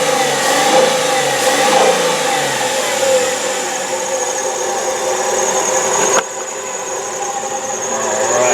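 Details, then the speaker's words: 2004 Chrysler Sebring sedan, 2.7 L V6, automatic, idling evenly with a light, steady high serpentine belt squeal over the engine hum; the motor otherwise runs strong. "as you can hear it's got a little bit of a belt squeal but the motor is pretty strong and it does run pretty good"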